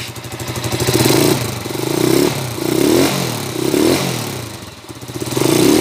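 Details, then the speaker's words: TMX 155 single after overhaul for a noisy engine: repeated throttle blips rise and fall cleanly with no knocking; knock gone, engine quiet, though carburetor tuning is still somewhat off. Normal engine running. "Wala na yung katok mga kabro. Napalayas na. Okay na."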